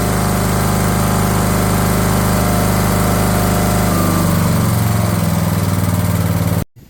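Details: Craftsman LT1000 riding mower/tractor running after fitting a different-style fuel solenoid with a new crush washer on the carb; steady, even pitch with a slight settle partway, no stumbling or surging, running normally.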